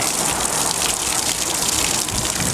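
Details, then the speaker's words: Escape 19 ft travel trailer hot water tank, anode-rod drain plug removed and valve opened: a steady hissing gush of water with no pump behind it. Tank draining normally. "pen up the valve here. Let it drain on you. There we go."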